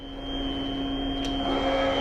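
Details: Bridgeport 3-axis CNC mill running the part program again, with hold and restart demonstrated: a steady motor hum with a thin, constant high whine and no knocking or grinding. It runs smoothly.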